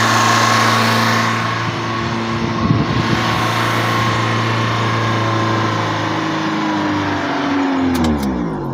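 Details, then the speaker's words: Opel Corsa 1.4i Utility after fitting a new Topran idle air control valve: on first start it idles high as expected, and the engine must be switched off and restarted. Steady raised idle that never settles, then winds off at shutdown; valve not yet adapted. "remember we're going to start it up and it will idle high we have to switch the vehicle off and then the [Music] restart okay as you can hear different idling"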